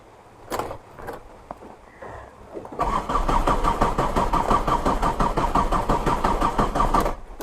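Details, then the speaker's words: Old converted Tata Indica mechanical diesel, rainy weather; cranks steadily over four seconds without catching despite glow plug heating; owner suspects low diesel and plans to pump fuel. "സ്റ്റാർട്ടായില്ല. Okay, നമുക്ക് ഒന്ന് pumping ചെയ്യാം. കാരണം diesel കുറവാണെന്ന് തോന്നുന്നുണ്ട്."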